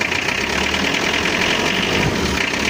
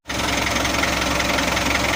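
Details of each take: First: Mitsubishi L300 diesel, post-2010, before overhaul, burns oil, noisier when hot: loud idle with heavy uneven clatter and vibration, indicating worn cylinder bores. Piston knock. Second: Mitsubishi L300 diesel, post-2010, after engine overhaul and rotor head pump upgrade, pump at standard break-in setting: diesel settles into even, steady idle with no uneven beats or knocks; normal smooth idle.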